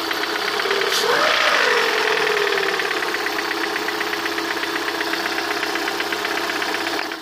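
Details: Lada 21126 engine: brief rev, then steady idle with a sharp tapping about four times a second, clearest at the end; internal knock, cause unknown.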